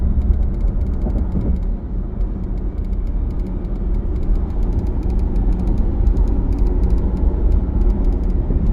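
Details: Mercedes GLC X254 SUV driving: light irregular ticking rattle over heavy low road rumble.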